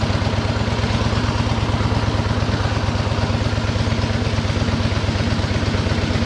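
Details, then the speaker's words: 1913 Harley-Davidson single-cylinder motor fired up after tickling the carburettor float; steady, even idle beat with no knocks or rattles, a good tight little motor. Normal running. "okay there we go there we've got fuel up here yep oh there we go boy that motor sounds good in that machine"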